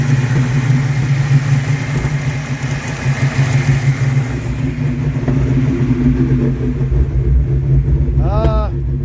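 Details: 1982 Mustang GT with a newly swapped brand-new rebuilt V8 with heads and cam, recorded outdoors, painted headers smoking, oil pressure gauge reading high. Deep, loud, steady V8 idle burble with no ticking or knocking. Normal idle.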